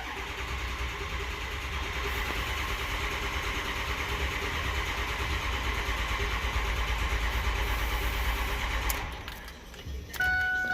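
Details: 2006 Ford 6.0 Powerstroke, 139,000 miles, with booster on battery: nine seconds of even starter cranking, about three beats a second, never catching; crank no start from low injection control pressure, high-pressure oil leak suspected.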